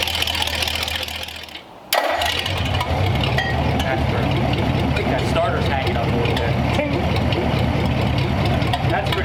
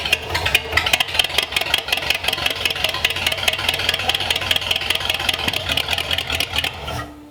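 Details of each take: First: Engine on a newly built run stand, cold day, partly choked with a squirt of fuel: catches after a short crank and settles into an even, steady run with no knocks or misses, sounds like a tractor; healthy. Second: Engine on a newly built run stand, improvised carb, running only on primed fuel: rough, uneven firing for about seven seconds, then it stumbles and stops dead, out of fuel after idling a second, leaving lots of soot.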